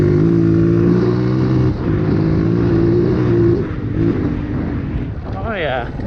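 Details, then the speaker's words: 2003 Honda CRF230F after carb cleaning, rebuild and jet tuning, on a cool day with no snorkel and the baffle in: clean, even single-cylinder thump winding down smoothly off throttle, with no bog, stumble or misfire. It runs properly now. "this thing runs great now. It's ready to go."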